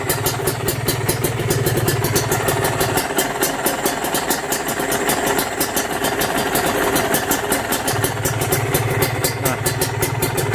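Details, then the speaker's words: Used Kawasaki Ninja RR/SS two-stroke engine at idle, evaluated as a pre-purchase check: steady, even, crisp crackle with a slight hiss and no knocking, indicating a healthy, tight engine block. "suara blok yang masih bagus yang masih bagus ya yang masih padat itu suaranya kayak gitu tadi"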